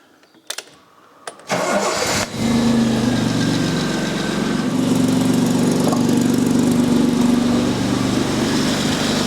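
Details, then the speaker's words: Jaguar XJ6 4.2 L engine in a Steadman TS100, running while the distributor is turned anticlockwise: the engine settles to idle, then slows and sags; this timing direction is wrong, and clockwise rotation picks it up. "so i'm going to rotate it anti-clockwise and see what happens now the engine gets slower so that's no good"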